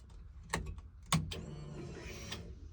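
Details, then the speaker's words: Turbo Coyote-swapped Fox-body Mustang, relay click at key-on then a faint steady high whir for about a second; fuel pump priming normally, lines sound full on second prime. "all right that's one prime all right we're going to give it another one all right that one sounded like the lines were full"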